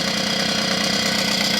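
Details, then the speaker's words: Puch Maxi two-stroke moped, 1986 last run, first start in about 40 years: idling fast and buzzy with light rapid knock from the crankshaft bearing, dry from long standing; piston rings may still stick. "The knocking that you can hear a bit now is the Kurbewelle. This long service life means the bearing is naturally dry and that's.."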